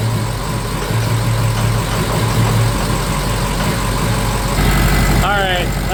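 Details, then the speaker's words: 2006 Ford F-350 6.0 Powerstroke diesel, second start after broken high-pressure oil O-ring repair and vent tube routed: fires and settles into steady, even low idle with no misses or knocks; normal start. "I did forget something. Second start up. Now I got that vent tube routed. Should start a lot easier."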